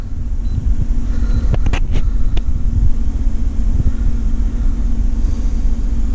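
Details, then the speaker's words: 2010 Chevrolet Tahoe Z71 5.3 V8 with flashing check engine and traction lights: lumpy, shivering idle with irregular skip; scan shows cylinder 7 misfire, with spark plugs and wires replaced. "yeah it's shivering pretty bad i'm gonna probably say one of these coils but let's see cylinder seven yep cylinder seven is giving us problems"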